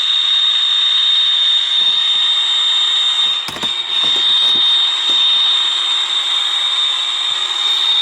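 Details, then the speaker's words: Hallicrafters S-210 receiver restoration, portable radio in the workshop: constant thin whistle about 5 kHz over radio hiss, steady pitch; interference radiated by a nearby computer monitor. "It sounds like about 5,000 cycles. It's coming from this."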